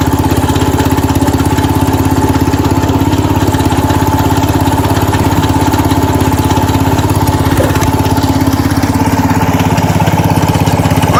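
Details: 1970 Cub Cadet 127 garden tractor single-cylinder engine after head gasket replacement, restarted, steady even putter around 200 beats a minute, no knocks or misses; normal smooth idle, runs pretty good.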